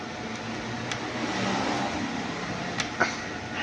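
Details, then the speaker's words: Bosch dishwasher after start problem fixed by fitting a magnet at the door: soft steady water and pump hum with light clicks, program now starts and cancels properly — normal dishwasher running. "ये देखिए अभी चल गई है मशीन, ये आवाज़ भी आएगी, ये आवाज़ आ गई आपको।"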